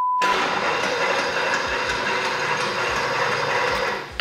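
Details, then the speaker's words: Vintage Mercedes: the starter keeps whirring and grinding continuously even after the key is turned off and pulled out. A relay had come undone while working near the starter relay; the fuel pump is not heard running. "turn the key pull the key out and the starter just keeps on going"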